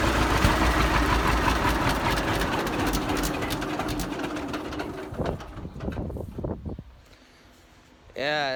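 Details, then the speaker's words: 70-year-old farm tractor, unrun 20–25 years, after cleaned-up carburetor and solid-state ignition replacing points and condenser: engine chugs at a steady low idle about five seconds, then quiet; runs, still needs tune-up. "sounds awesome. Yeah. Still needs a little bit of tune-up and work, but it's nice just to see this thing running."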